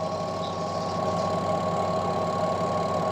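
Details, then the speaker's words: Washing machine that only hummed on spin: with the brake wire pulled by hand, a steady, even motor hum with a whine near 1 kHz as the drum spins freely; releasing it brakes the drum and it hums again. "Nah, dia berha dia mau berputar kan? Mau dia berputar kalau e ininya ditarik dia tuh sudah mau berputar."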